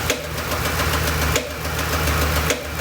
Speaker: It's got a little bit of a rough idle, but what you hear is that, the popping noise. Sounds like popcorn popping,